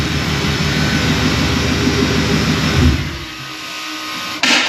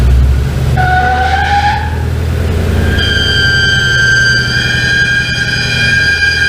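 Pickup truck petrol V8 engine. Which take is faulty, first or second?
second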